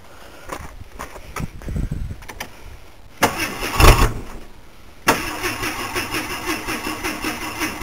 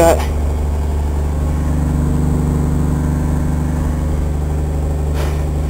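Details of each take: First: Vehicle with muffler removed, before new pipe fitted: starter churns several seconds with a couple of false catches, then fires into a loud open-exhaust idle; hard starting, long crank. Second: Truck idling after muffler work, before new pipe added: steady, even idle with deep, muted exhaust note and no rasp or blatting; much quieter than before.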